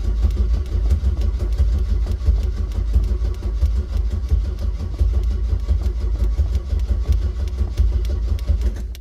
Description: after lots of pumpings and cranking the car start and stalls